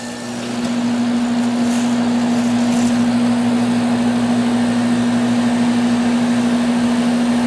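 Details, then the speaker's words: Central A/C outdoor condenser unit after repair, disconnect plugged back in: steady, even hum with firm low tone and smooth fan rush, no clicks or stalling; condenser runs normally. "well it hasn't blown up yet so I think we fixed it this one's saved"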